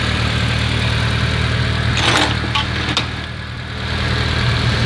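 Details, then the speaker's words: Engine idling with a fast, uneven rattle loudest at the water pump, disappearing when accessory belts are removed; located by screwdriver stethoscope; pump itself found in good condition, the noise traced to a worn water pump pulley. "así que evidentemente por lo que parece parece que el ruido viene de la bomba en la bomba de agua muy bien"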